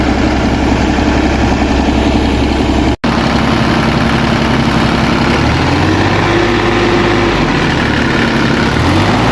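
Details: Kubota KX033 excavator small diesel idling steadily and evenly after a no-start caused by slimy, gelled fuel from the tank clogging the fuel filter.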